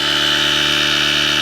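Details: Portable tyre inflator/boost pack inflating a Nissan Micra 1.0 tyre from 17 psi toward 30 psi: steady, even high-pitched buzz with no surging or knocking; compressor running normally.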